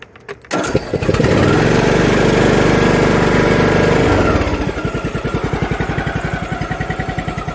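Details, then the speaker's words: Husqvarna R120S articulating riding mower, said to be all-wheel drive, engine possibly 20 hp, clean air filter: starts on the first pull, revs briefly, then settles into an even, regular chug of about 3.5 beats per second; normal start and idle. "The thing started right up"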